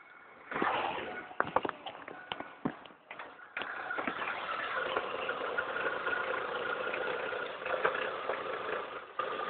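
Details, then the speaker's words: 2000 Ford Focus ZX3 2.0 DOHC, only kept running after unplugging the PCV: engine fires after stumbles, then idles unevenly with no throttle, note swelling and sagging, before dying; rough idle surging. "Oh, no foot on the gas, it's completely surging."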